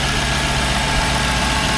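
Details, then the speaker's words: 2002 Jaguar XJ8 Sport (X308), 3.2 V8, long parked, alternator and battery recently replaced; after start-up there is no timing-chain or tensioner rattle, an even low hum, the warning light goes out and tick-over drops back; sounds fairly healthy. "That sounds fairly healthy, doesn't it? Oh, the light's gone out of it. As you can see, it's been sat a while. Tick over's dropped back a little bit."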